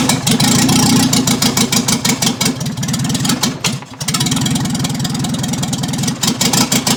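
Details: 1955 Morris Minor, engine and gearbox just installed, ignition re-timed (firing order 1-3-4-2), running with no exhaust fitted as the downpipe is missing: loud, raw, crackling unmuffled note rising with throttle blips; open exhaust.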